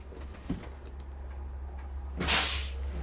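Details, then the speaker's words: Motorhome with air brakes towing a 2022 Jeep Wrangler 4xe with Demco Air Force One supplemental braking: quiet low rumble, then a short sharp air hiss as pressure is sent back to apply the Jeep's brakes; normal application. "so if we hit the brakes here air pressure is now sent to the back to apply the brakes on the vehicle"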